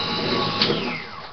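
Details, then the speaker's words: Deni food slicer, under one year old, used for homemade bread: harsh, buzzy motor whir with a gritty edge that fades as it spins down; owner suspects failing motor bearings; wear marks found behind the wheel. "It sounds like the bearings are going into the little motor, and that is underneath here."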